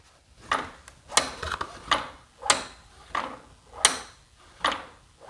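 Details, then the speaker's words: MXT Lucky Carbon cartridge kit fork with about 40 hours use, microphone close to the fork leg: sharp hollow clunks, about eight in five seconds, as the fork is pushed; something inside the cartridge is loose, cause unknown. "you hear that something right in here is loose now the bummer is i have uh the lucky cartridge kit"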